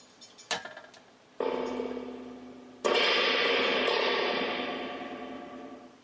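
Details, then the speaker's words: Loud springy crash through the speaker as the reverb tank of a Peavey Classic 30 is rattled with volume and reverb up; tank transducer measured blown, but the amp's reverb return circuit is working. "since it makes that noise, it means that the return of the send return circuit in the amp is actually working. If the return circuit was not working, it wouldn't make this sound."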